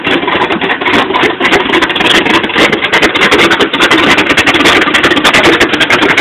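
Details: '86 Chevy short bed V8 with Comp Cams Extreme Energy camshaft, flat-top pistons and cast-iron 2.02/1.60 heads at idle: choppy, uneven lope under two beats a second, the rhythm wandering; rough lopey idle.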